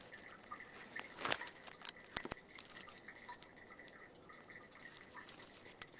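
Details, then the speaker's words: Home grinder pump tank while the homeowners are away: faint irregular drips and a thin trickle when nothing should flow, probably from a running toilet. Alarm had triggered on an earlier vacation. Water trickling into the tank. "So there's a trickle of water, and you can hear it. I hope you can pick it up on this. There's a trickle of water running into their grinder pump. It's probably from a toilet that's running, and this is not a good thing on a grinder pump house."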